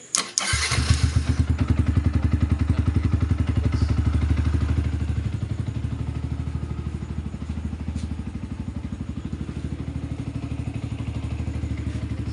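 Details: Yamaha R15 V2 that would not start (no click), with the relay found faulty and bypassed: a quick crank catches at once and settles into a steady, even thumping idle with no stumbles. It starts and runs healthy.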